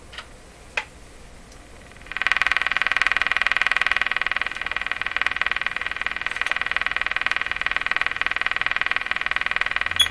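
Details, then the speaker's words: Canadian Westinghouse Model 684 radio after IF bypass circuit cleanup, tuning higher-frequency shortwave band: steady hiss with quick even pulsing buzz, no stations; local oscillator suspected not running, substituted capacitor believed wrong size. "no performance here. Okay, try the next band. A higher frequency one."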